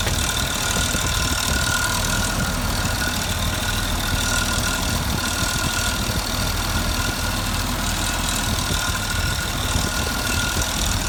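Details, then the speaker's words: 1983 Jaguar XJ6 Series 3 4.2 engine at idle: light rattly scraping noise fading in and out, not heard when revved to about 2000 rpm; timing chain rattle. "now you don't seem to hear it when you rev it up to maybe 2000 or so yeah it's sort of constant rattly scraping noise well it's not quite constant it sort of fades out and then comes back in again"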